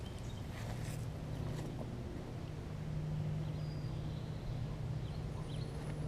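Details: John Deere JS63C walk-behind mower after a flywheel key, oil change and carburettor bowl cleaning of sediment and old gas: low, steady drone at even pitch with no surging or misses; running normally.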